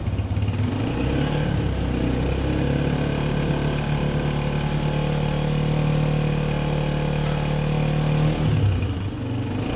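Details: Honda single stored a long time, started after fresh petrol and the fuel pipe reattached to the carburettor: steady buzzing idle holding an even tone before easing off; starts and runs cleanly.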